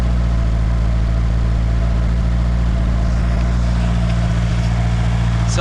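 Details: Nissan S13 SR20DET first start after installing eBay turbo, IS-R turbo lines and ECU-connected oxygen sensor: steady, smooth low hum, idle slightly raised while cold, no misses or knocks, no smoke; normal cold idle.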